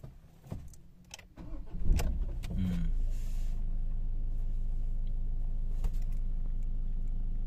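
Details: Ford Ranger 2.2L diesel, manual, after a no-start fixed with a new suction control valve and PC calibration: short crank, catches quickly and settles into an even, steady low idle; starts and runs normally, problem solved.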